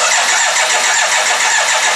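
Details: BMW K1200LT motorcycle being revived: starter spins the engine fast and evenly but it never fires; fuel pump not heard at key-on, suspected no power reaching the pump, not confirmed.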